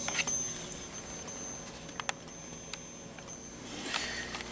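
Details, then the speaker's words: System Sensor P1224MC horn-strobe on a Kidde FX fire panel, running on full-wave rectified (FWR) power instead of filtered DC: thin, steady, loud high-pitched buzz from the strobe's capacitor under faint clicks; capacitor buzz on FWR power. "the strobe is buzzing very loudly because of the capacitor and two it's it's running on FWR as you can see."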